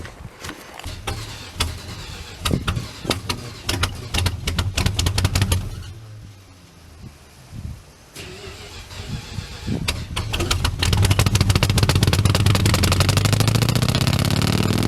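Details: 62-year-old Dodge truck, sitting 20 years, cranks unevenly, catches after a gap, then fires and revs on fuel poured in, heard at the exhaust; it runs only on poured fuel and needs a working fuel system.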